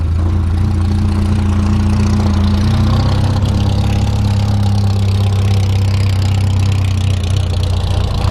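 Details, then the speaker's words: 1973 Volvo 142 SCCA race car, built four-cylinder, after warm-up: deep steady lopey idle with even beat, no knocks or misses; sounds healthy. "so now this sounds really good yeah looks good"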